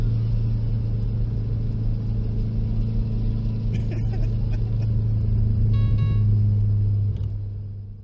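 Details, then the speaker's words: Subaru with EJ257 engine under load on track day: heavy drone with a rough mechanical tone and brief whistle from a blown turbocharger. "that's right team benji's turbo took a dump and i can't say that i'm happy about it"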